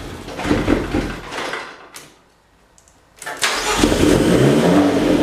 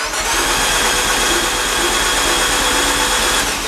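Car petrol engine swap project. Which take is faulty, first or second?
second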